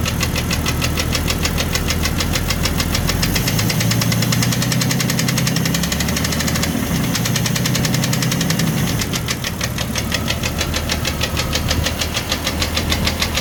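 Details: 1999 Jeep Cherokee XJ, 257k miles, broken piston skirt: loud, fast metallic tapping over a rough idle that speeds up with rpm. Began after a boost-pack jump start in 20-35F winter, persisted when warm, oil pressure fine; piston slap.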